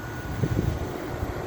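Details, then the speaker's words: 8000 BTU EQK window air conditioner after replacing a rusted, grounding capacitor: runs with a steady low hum and fan rush, a few soft bumps; fan appears off balance, but cooling works normally. "let's see what happens and she runs hell yeah I like that kind"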